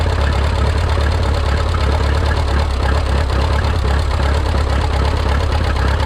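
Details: Rebuilt Minneapolis Moline 335 tractor engine after restoration: heavy, low idle with an uneven, stumbling beat and irregular knocks. Owner says it isn't running right and needs tuning, maybe timing; retarded ignition timing suspected.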